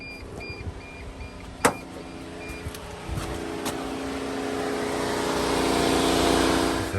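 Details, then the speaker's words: T1N Sprinter diesel van (2000-2006) won't start: with key on, engine silent while radiator fan whooshes up and holds; likely ECM fault, but check fuses 17 and 18, or unplugged AC drier sensor. "that fan comes on with the key, it's probably going to be an ECM problem. But check fuses 17 and 18 down here first."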